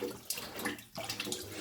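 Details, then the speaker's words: Potterton Promax Combi HE Plus 28 boiler expansion vessel, which had pressure loss, leaks and E119 faults: water splashes and glugs unevenly from the vessel as its fitting is undone. The owner suspects it is full and waterlogged. "you won the case of undone almost all the way in its glugging out of that and it's a little wash in there as well"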